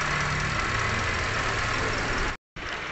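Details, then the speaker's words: 2017 Toyota Grand New Avanza Type G, engine hot at idle: dry, irregular "krek krek" crackle about four a second over the idle, traced by mechanic's stethoscope to the water pump and a bearing. "ini kita simpulkan bahwasanya bunyi tersebut timbul dari water pump dan be"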